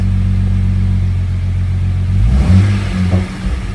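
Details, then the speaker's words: Jeep recorded from inside after removing bolt that fell into intake and held cylinder 3 intake valve open (zero compression): even idle at 750 rpm, then crisp blip up and down, all cylinders pulling evenly; normal revving after repair. "No, guys, it sounds so good. I didn't die far away. Guys, it sounds great."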